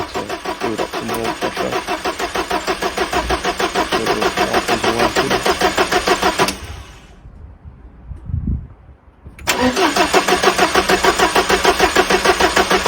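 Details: Mk3 Ford Escort RS1600i, off the road for a few years, oil topped up, king lead removed from the distributor: even starter churn about three beats a second, short break, cranking resumes; turns over cleanly with no firing.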